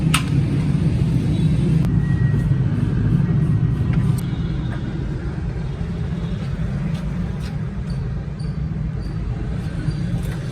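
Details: Suzuki Every after water body change; steady low rumble at idle with even, unbroken rhythm, no knocking or whining; engine sounds smooth.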